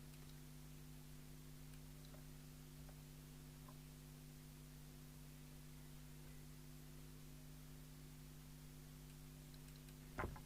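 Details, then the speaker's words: Heathkit HD10 electronic Morse keyer (c1969) sold as "no sound, lights up" and found with a transistor missing and a capacitor broken away. Faint regular relay ticks over steady mains hum with no keying tone: keyer relay clicking, no sidetone from its internal oscillator. "no we've still got nothing by doing that so we'll pause the video again and have another look but at least it's working now so we can actually use it even if we can't hear it from its own internal oscillator"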